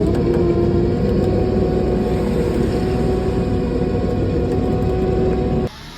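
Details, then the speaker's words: 2007 Honda Accord, K24 engine, manual transmission, idling before clutch replacement: steady whirring, ringing hum over the running note from a bad clutch throwout bearing, later found to be the real issue. "So if you couldn't tell, obviously, a manual transmission, when I pulled it in here, is not supposed to sound like that at all."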